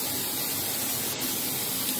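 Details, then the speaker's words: Apartment AC unit: constant loud airy hiss with no rhythm, something bleeding or venting inside the unit; cause unknown. "can hear the hissing don't know what it is but it's out of it"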